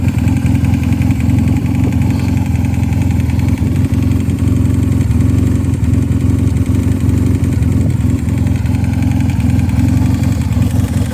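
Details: 1986 Honda CB450S PC17 with rejetted carbs (140 main, 35 pilot), pod filters, airbox removed, wrapped headers and loud SC Project mufflers: loud exhaust rumble at idle with blips and a faint repeating engine knock, cause unknown.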